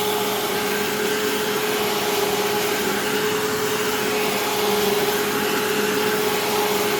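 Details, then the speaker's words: Used vacuum cleaner with rusted screws and a gap in the cleaner head: loud steady motor whine with a slightly uneven, rough edge; sounds rough but runs fine, cause not pinned down. "so yeah I mean this thing I it sounds a little rough but it runs fine which is good"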